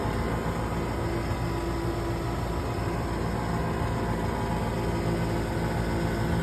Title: Furnace Buzzing Noise